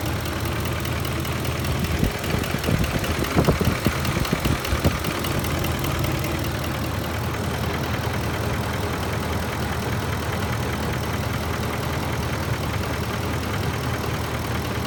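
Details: Ford F150 at idle: faint quick even knock over the low engine hum; light knocking, owner suspects VCT phaser or timing chain tensioners, unconfirmed.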